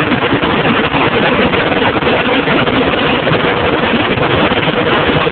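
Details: John Deere 7220 tractor, 6.8L PowerTech diesel on ULSD, PowerQuad transmission, about 2400 hours: heavy diesel running rough with a stumbling, uneven beat. Misfire; injectors and compression checked OK, injection pump found faulty and replaced under warranty.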